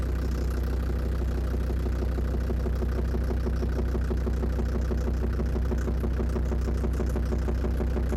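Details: Land Rover Defender Td5 diesel idling after radiator work, recorded with external mic at the snorkel where the sound seems loudest: sharp regular tick about two per second over idle, not fading with warm-up; suspected hydraulic lifters or exhaust manifold, unconfirmed.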